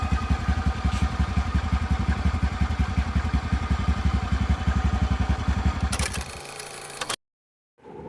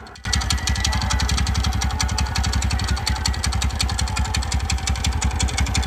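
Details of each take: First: TVS Ntorq scooter engine at an even, steady idle with a low beat and no ticking or khat-khat clatter, then switched off; sounds healthy, a normal idle. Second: TVS Ntorq scooter engine at steady idle with a fast, even tick-tick/khat-khat ticking (about eight a second) over the low thump; top-end engine ticking, cause unclear.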